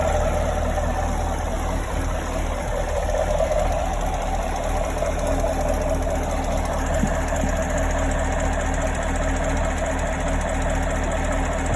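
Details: 2017 Chevrolet Camaro 6.2L V8, about 20,000 km, stock: light fast ticking over the idle, only when fully warm, from the rear driver's side of the engine bay, loudest from below near the oil filter/pump; owner fears engine damage.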